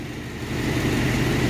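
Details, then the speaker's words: Long-stalled Dodge wagon V8 first run after unseizing, salvaged carb possibly from a boat: steady even low rumble, smooth firing beat, no ticks or knocks; normal idle. "so I don't know if it came from a boat or I don't know. No way, it's idling, guys."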